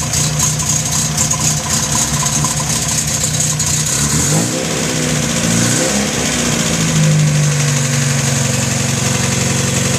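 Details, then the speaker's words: 1973 Datsun 610, just after starting right up from cold: a fast, slightly uneven idle with revs easing down as it warms; nothing abnormal heard; cold fast idle. "Starts right up to the cold."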